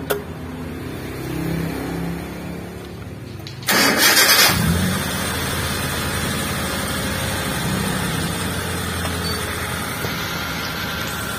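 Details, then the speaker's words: T120SS fuel-injected, after cleaning and greasing the ISC (idle speed control) valve for a slow-returning, hunting idle: engine cranks, catches and settles into a smooth, stable idle; rpm drops back to idle quickly, normal. "Oke untuk stasionernya sudah stabil ya untuk posisi jarum RPM untuk posisi turunnya itu tidak terlalu lama untuk mencapai stasioner"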